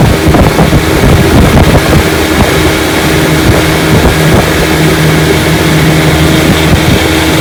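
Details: 1955 Johnson Seahorse 10 hp outboard, fully mechanically restored (ignition, carburetor and lower case rebuilt), on the lake at full throttle pushing a 14 ft john boat about 18 mph: steady high buzz under wind and water noise, no misfire or surging; normal.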